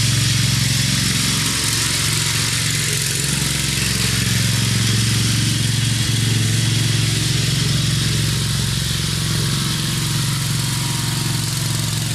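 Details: Craftsman LT2000 riding mower, Briggs 17.5HP engine, test run: steady, even engine beat at constant speed, no misses or knocks, outdoors; running real sweet, normal.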